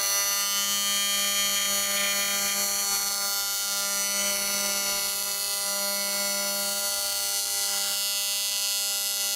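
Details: AC TIG welding at about 250 A and 200 Hz on a 280 machine: loud, steady, harsh buzz at one constant pitch with a bright sizzling edge. Normal AC TIG arc buzz.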